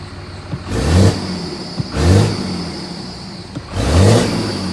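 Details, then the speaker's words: Diesel truck ("6.4 Fummins" 24V) with new custom intercooler/turbo piping, on its first real test run after hours of running: three quick throttle blips about 1.5 s apart, deep and smooth, no knock or rattle; sounds healthy. "still working the bugs out as being the uh first real start and letting it run it's been running all day since like uh 5:00 p.m. or so"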